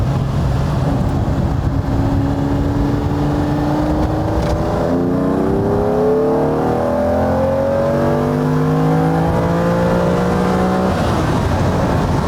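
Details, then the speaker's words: Ferrari 365 GTB/4 Daytona V12, fully warmed up, downshift then long pull on the open road: clean, even pitch climbing steadily with no misses or flat spots; smooth linear power curve, sharp throttle response, normal acceleration. "Lovely, smooth. You can actually hear it. It's just smooth all the way. It's a linear power curve."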